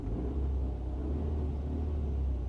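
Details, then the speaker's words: Ford Mondeo Mk3 petrol engine, misfire on cylinders 1 and 4, compression only about 22-25 psi on some cylinders, started after refitting plugs and coil pack: deep, lumpy rough idle rumble. "cylinder 4 only scored 25 psi 22 and 22 and to be honest my reading was a little generous on that one"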